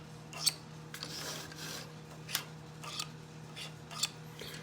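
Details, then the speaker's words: Prewar Marx Commodore Vanderbilt toy locomotive, unused for decades, on powered track: steady transformer hum with sharp clicks about every second from the E-unit cycling and no motor whirr; locomotive does not move. "let's see what happens absolutely nothing absolutely nothing well i can hear the e unit cycling"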